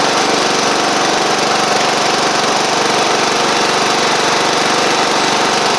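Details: Sabre riding mower after repair (drive belt and blades replaced, a large oil pool cleaned up) running with a steady, even single-cylinder buzz and no knocks or stumbles. Caked-on oil is burning off through the exhaust after earlier cold-start smoking. Otherwise it runs fine.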